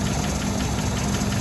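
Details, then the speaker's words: 1985 Toyota SR5 pickup 22RE engine, PCV hose capped so running slightly rough: slow, lumpy low idle; idle too low for the AC compressor to engage, owner suspects a low-idle cutoff. "The idle's too low for the compressor to kick on, so I think it has a cutoff for"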